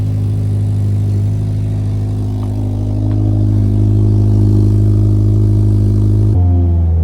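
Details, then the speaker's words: 2022+ Subaru WRX after installing an EOS resonated Y-pipe mid pipe to complete the cat-back: a steady deep idle with a puffing tick about four per second. Exhaust leak heard at startup and idle, less noticeable once moving. "Yeah. As you guys heard, there is a leak on the startup, especially. But, once you get to a idle, you can't really hear it as much, but or actually no, you I at idle and startup, you could hear it."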